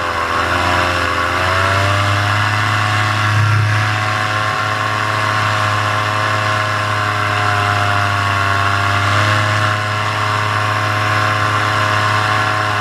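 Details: Paramotor two-stroke in flight, throttle held wide open: loud, even buzz with level RPM and only small wobbles. This is the normal full-throttle baseline, recorded before the engine later began losing power and bogging.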